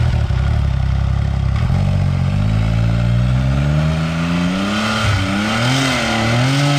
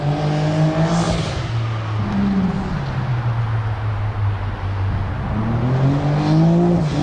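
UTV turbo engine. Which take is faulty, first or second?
first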